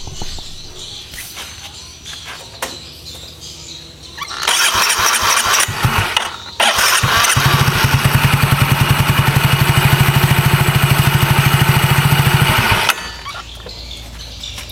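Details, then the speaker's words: Yamaha automatic scooter (Soul GT/Mio type) after fixing slipping starter one-way clutch: starter whirs briefly, engages at once without slipping, engine fires into steady even run; starter clutch engaging properly. "ditarik aja pernya tadi disetar langsung nyangkut ya enggak ada istilahnya yang kayak ngelos"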